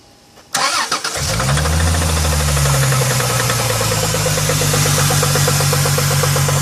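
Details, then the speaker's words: 2000 Chrysler 300M at start-up: engine catches, then a steady idle with a rapid, even knock of about four per second that can be felt, judged internal; rod knock suspected. "Yeah, you can feel it right in there. It's definitely internal."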